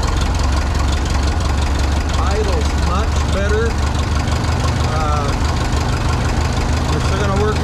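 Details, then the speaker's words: 1951 Ferguson TO-30 tractor after new spark plugs and carburetor with repaired throttle shaft: steady even low idle, no knocks, misses or hunting; running healthy again. "bit with the acceleration so we're back up and running i feel really good about the engine now we got new plugs carburetors on"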